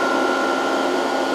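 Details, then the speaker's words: Variable frequency drive with long-idle capacitors being slowly reformed, supply near 100 volts: cooling fan running under voltage, steady airy whoosh with constant mid-pitch whine, no rattles or speed changes; normal. "Oh, it just the fan came on under voltage. Okay, that makes sense."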